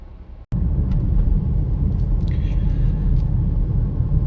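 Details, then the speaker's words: 2016 Nissan X-Trail hybrid (HT32), warmed up after about 15 minutes of driving on a rainy road, test drive after repairing a no-start: steady low drivetrain rumble under wet road noise with no knocks, whine or clunks, pulling smoothly. "it is a beautiful rainy day here in the caribbean so guess what we're driving the x trail she just took off like uh probably 15 minutes ago vehicle already warm up"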